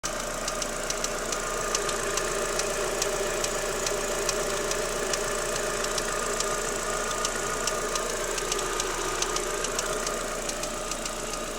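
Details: Daewoo Lanos 1.6 16V idling with a sharp, light tick about twice a second at engine pace; it stopped when the timing belt and rollers were wetted with water and disappeared after replacing them, though the removed parts looked fine.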